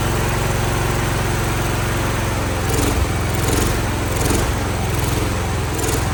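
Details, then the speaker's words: Revived Cub Cadet single-cylinder after WD-40 down a seemingly seized cylinder and starter-drive repair, old carburetor still on with a new one coming, expected to smoke: a loud, uneven chug that surges a little. Rough running. "The starter, I had to work on the drive a little bit, but we're gonna start it up. It's gonna be a smoker, but she does run."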